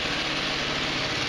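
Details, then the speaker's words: GY6 150cc retro scooter (Verano 150 type), reassembled after a valve adjustment and idling steady: a light, even buzzy patter with no odd ticks or knocks. It is running great; an oil change is still due. Normal idle. "it's all back together it's running great"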